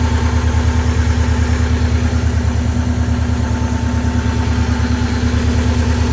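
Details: 23-year-old Subaru boxer idling after water pump replacement while checking for coolant leaks: steady, even low idle pulsing about three beats a second, no ticking or knocking; engine sounds healthy.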